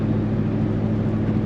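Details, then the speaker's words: 2001 Ford F-150 pickup bought at auction, driving at speed on new tires: steady low rumble under road noise with no knock or click, owner attributes it to U-joints with play; worn universal joints. "it's kind of a rumble that I was thinking was the old tires and there's like a noise that I didn't hear with the old tires because they were so much louder but my uh my U-joints have some play in this truck"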